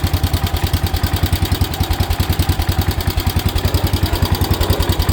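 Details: 1977 Wheel Horse B-100 garden tractor, two days after carburetor work: single-cylinder thumping about 3.5 beats per second, strength varying beat to beat, as it starts to run rough.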